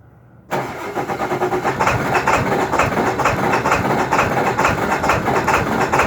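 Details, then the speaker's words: 2002 Ford F-350 Super Duty 7.3 diesel, cold morning; hard start blamed on a bad glow plug relay; brief silence, then catches abruptly into a lumpy, clattering idle, clears out once warm: diesel hard start. "She'll clear out, and then she'll drive like a champ. But in the mornings when it's cold, that's how she goes."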